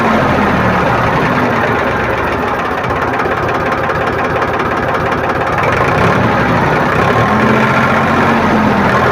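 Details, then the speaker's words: Powertrac tractor diesel after fuel pump drop timing set: loud steady clatter held at raised revs above 500 rpm idle, even firing beat, very sweet sound, no misses; normal revving. "और जैसे ही इसका race अब बढ़ाते हैं RPM, तो बहुत मीठा sound आता है, आप लोग सुनिएगा इसका।"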